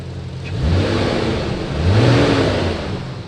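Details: Toyota Soarer SC300 (1JZ) after a clutch fan rebuild, while bleeding the cooling system: strong rushing roar swells with each throttle blip over the engine note; fan clutch pulling hard as it should, where before it barely moved air.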